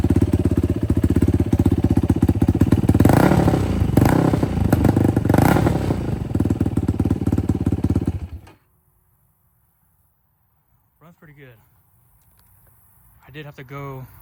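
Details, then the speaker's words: 2006 Yamaha YFZ450 quad, cold engine, after carb clean and float height adjustment, fuel screw out about 4–4.5 turns, DG exhaust, starts without choke: fast steady single-cylinder idle with blips, then shut off; normal running. "And uh it does start up and run now."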